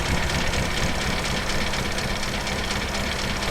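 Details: 1956 Standard 8 with iffy engine, slightly smoky on a little choke, idling to warm up on a low battery after blipping; busy, uneven clatter over the rumble; tappet noise at idle.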